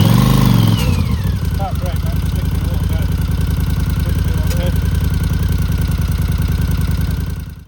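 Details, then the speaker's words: 1982 Honda CX500 Turbo, 500cc, at idle after brake caliper work and battery charge: lumpy idle with puffing chuff about three times a second on the exhaust beat, like the exhaust blowing; leak at turbo exhaust gasket. "The main issue is when I started the bike up, I could hear a chuffing noise, like the exhaust was blowing."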